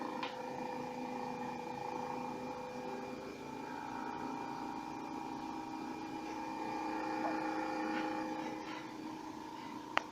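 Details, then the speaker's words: LG refrigerator that freezes too much at the bottom and is noisy: a quiet steady hum with fixed tones near the back, loudest by the compressor. Owner suspects the other internal fan; the fan is rubbed by ice from a misplaced defrost sensor. "aquí se oye bien donde hoy un poquito más es por aquí entonces yo supongo que es el otro ventilador"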